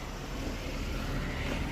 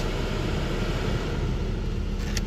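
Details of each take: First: 2003 Buick LeSabre 3.8 before blower motor replacement: a steady, low droning whir with a rough, rumbling edge from the worn HVAC blower motor. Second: 2003 Buick LeSabre 3.8 after blower motor replacement, engine idling with AC on: soft, even fan rush with no squeal, ticking or rubbing; the earlier noise is gone, normal blower operation.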